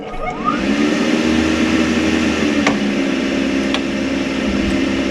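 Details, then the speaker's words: Rinnai V65iP non-condensing propane tankless water heater, fan whirs up then holds loud droning hum with felt vibration; louder than usual, heard upstairs; owner suspects dusty fan fins or failing motor bearing. "that humming noise, you can hear the fan noise, that's normal. It's just a lot louder than it usually is. And we can actually hear it upstairs in the bathroom."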